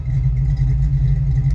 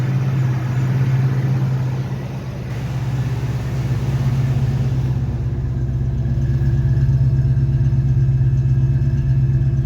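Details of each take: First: Fox Body Ford Mustang V8 with no aftermarket cam: lumpy loping idle like a big cam, code 34 EGR position; EGR valve stuck open by carbon. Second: Fox Body Mustang V8 after fixing code 34 (EGR position) by cleaning carbon from the stuck EGR valve: steady even low idle rumble, no stumbling or shaking; smooth idle restored.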